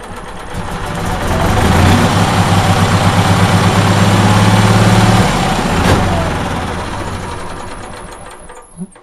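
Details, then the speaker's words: Onan generator with no 12 V charging circuit, run from a jumper pack; with the positive unhooked, the starter chugs rapidly for a few seconds, slows and stops without catching; owner suspects the battery lacks charge. "so basically the jumper pack is keeping it running i'll unhook the positive and i'll show you should probably won't even start"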